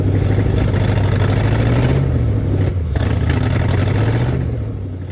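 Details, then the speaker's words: 1985 Firebird Trans Am on fresh premium after sitting: loud, deep, uneven rumble held at about half throttle with pedal near the floor, ragged pulses and blatting from a leaking exhaust manifold joint; dies off throttle, runs rough. "I had the my pedal almost the floor and it was running about half throttle the whole time as soon as I let off the gas it pretty much want to die"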